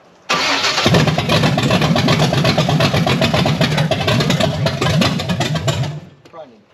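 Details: Blueprint 540 big-block Chevy with Holley 870 Street Avenger, open headers, being set up; catches after short crank, runs rough and uneven a few seconds then dies; timing way off suspected, distributor may need reclocking.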